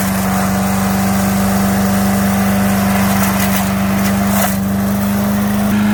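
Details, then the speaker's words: 5 HP MTD wood chipper/shredder from swap meet, unused a year or two, running after carburetor kit install, chipping branches; single-cylinder engine holds a steady strong drone with only brief disturbance under load, normal running. "t and put it on fired it up and it does run now"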